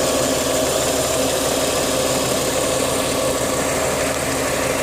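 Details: Rover KV6 petrol V6 idling steadily with a busy metallic rattle running through the engine note.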